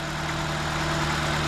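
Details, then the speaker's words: 2004 Nissan Sentra after replacing a bad fuel injector that caused a misfire with no misfire codes: low, even idle with a steady hum, no stumbles or shake. Running smoothly on all cylinders. "turned it on what do you know is smooth no more misfire our sleuth so the problem we had here was a a bad fuel injector cars running real smooth"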